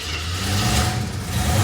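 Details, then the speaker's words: 1973 AMC Hornet at cold start after vacuum repairs, light throttle: grumbles and lumps, a little grumpy; timing over-advanced, previously dieseled at shutdown and hung on hot start; rough cold running. "all right cold starts pretty good does I mean maybe yeah okay yeah she's a little grumpy but she's also over Ed cuz yesterday it would"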